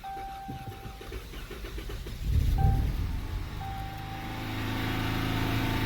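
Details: Dodge Charger V6 with no-start/hard-start complaint, cranking quickly and unevenly, catching with a surge after throttle-body spray, then lumpy unsteady idle; flashing check engine light, P0300 multiple cylinder misfire; possibly not fuel pump.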